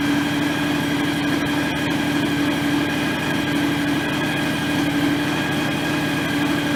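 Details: John Deere X738 lawn tractor after 50-hour service refilling the shared front axle/transmission/hydraulic/steering oil: small engine fires up, settles to steady even idle with soft regular pulse, no whine; runs fine, steering a little stiff.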